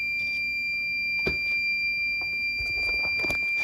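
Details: Machine with DRO while making Hayabusa mini van rack mounts, noisy only since being taken apart: steady, piercing high whine at one pitch with clatter of parts being handled; source not evident.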